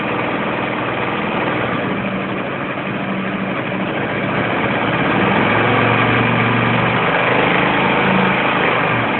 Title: barulho estranho no motor da comet 250